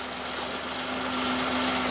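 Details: 2015 Hyundai i10 1.0L at idle, 'shush shush' noise persists with auxiliary belt removed; steady low whirr, no rattle; stretched original timing chain suspected, not confirmed.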